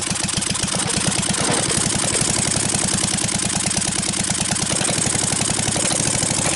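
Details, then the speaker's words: Briggs & Stratton 12.5 HP L-head engine, mouse-damaged and corroded after years stored, first run after starting fluid with throttle raised from idle: fast, even popping beat with no misses or knocks; runs steadily and healthy. "Anyway, we could see this engine runs. Big step forward. The 12.5 horsepower engine is ready to go,"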